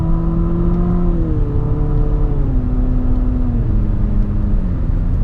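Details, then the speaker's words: 2019 Infiniti QX50 CVT in manual mode, upshifting with the paddles: a droning whine climbs, then drops in three steps at the simulated shifts. The noise is mostly from the transmission, not the engine, and is normal CVT behaviour but unrefined. "just not a luxurious sound. When I'm spending $60,000 on a car, I don't want a vehicle that sounds like that."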